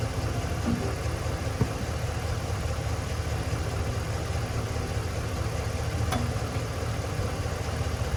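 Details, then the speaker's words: Tractor diesel, pulled from a pasture as a non-runner with a dead battery, running rough and uneven at about two beats per second. Air is in the injector lines; loosening the injectors to bleed the air, then retightening them, smoothed the idle. "it started to pop off, so I loosened the injector so they could bleed out, and then they bled out a little air, tightened them up. Idle started to smooth up, and here we are."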